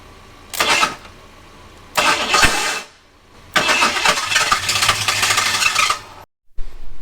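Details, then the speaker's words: Abandoned Ford Thunderbird pulled from near Amarillo: repeated long cranking bursts with no firing or catch between them, engine turning but fuel-starved; owner suspects no fuel, inertia switch not found in trunk, about seven gallons in tank. "right so we're going to check a few things i think it's just not getting fuel at this point"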